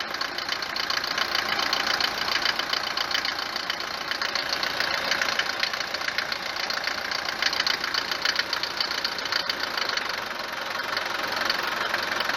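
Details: Mercedes W124 190 D four-cylinder diesel idling on a morning start: sharp, hard clatter rattling steadily, louder than a normal diesel tick. Suspected causes are a worn cylinder or piston, the injectors (already replaced) or injection pump timing advance; unconfirmed.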